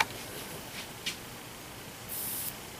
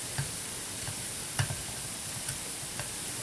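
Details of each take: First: Teflon-coated Tesla-style vortex coil excited at 15.1 kHz through an amplifier, one lead connected: soft steady ozone hiss with a brief sharp crackle and bright fizz from electrical arcing, i.e. normal corona. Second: Silver-plated Teflon-coated POE vortex coil, Tesla-style SPTC, running: constant fizzing hiss with irregular sharp snaps about once a second, high-voltage arcing generating ozone.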